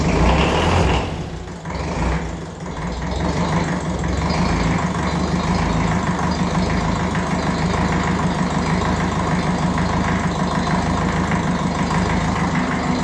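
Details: 1954 Ferguson 20 TEF diesel tractor, overhauled engine, after heater plug replaced: steady, even diesel clatter at a settled idle, regular firing with no misses after a cold start.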